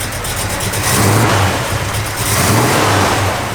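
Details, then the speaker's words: 1955 Chevrolet 210, 468 ci V8, Comp camshaft, Comp roller rockers, Edelbrock dual quads, 10.5:1 pistons, ceramic headers; deep uneven lope rising into throaty revs, good oil pressure: normal lumpy idle and revving. "Hear that cam working. I like it, dig it."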